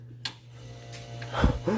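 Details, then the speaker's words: Vintage Coke machine after repair of breaker-tripping fault, thermostat set about 4: compressor and fan start with steady low hum, no clicking or tripping; cooling unit runs normally, refrigerant heard surging. "the compressor has started probably set this at about 4 so yeah looks like we got it fixed"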